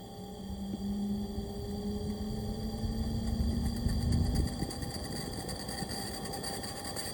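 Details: AC Infinity Cloudline inline fan, Air Filtration PRO Kit 4", 1–2 years old, carbon filter removed: low steady hum with a drifting buzzy tone and airy hiss. The bee-like buzz developed over recent months, cause not clear.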